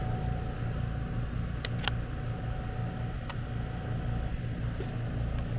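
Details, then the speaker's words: AC condenser fired up after repairing a compressor disconnect where a mounting screw shorted a high-voltage leg and tripped the breaker: steady low compressor and fan hum, even, no clatter or buzz besides handling clicks; operating normally. "right so i'm about to fire it up looking good"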